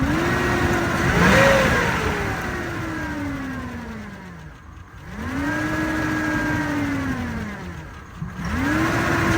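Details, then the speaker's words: Chevy/GM LS petrol V8 in a truck, jump-started and revved up and down: a rough, rapid rod knock under the engine note with lifters ticking; it runs badly and is getting a new engine. "that rod knock? And them lifters ticking, but it runs."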